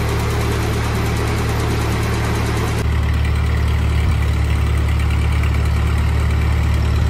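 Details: 1948 Ford 8N tractor on a test drive after rebuild: steady, even low chug with a constant beat, no knocks or misses; engine runs healthy and smooth.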